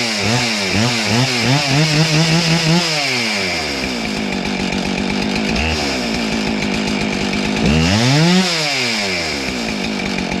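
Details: Husqvarna 576 XTorq chainsaw after muffler repair (mount had cracked when screws fell out): revs up and down crisply, settles to steady idle between blips, no rasp or exhaust-leak chuff; runs sound.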